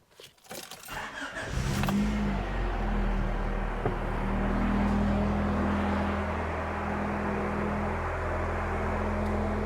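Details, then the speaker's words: 1989 Honda Prelude, heavily modified, being checked for an alternator and charging problem, during a tester's starting-system cranking test: short even cranking, then a prompt catch into a steady low idle. The starting system is healthy and passed at 11.26 V. "so the next thing we want to do is a cranking test so uh we're going to start the car and we have 30 seconds to do that and it is going to test our starting"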